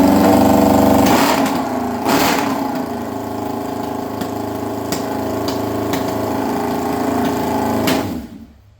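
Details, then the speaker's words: Honda CB750 motorcycle, bought non-running, now mostly reassembled: steady, even engine beat at about four pulses per second with no knocks or misses, then shut off; running normally. "It's back together now, or mostly back together now. It's definitely running, so that's a plus."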